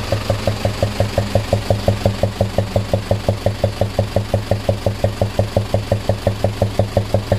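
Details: Lorry with 14B diesel engine that suddenly began knocking loudly while carrying a load. Sharp, even tapping about three times a second over a steady idle. Valve train knock from a missing valve collet leaving excess clearance.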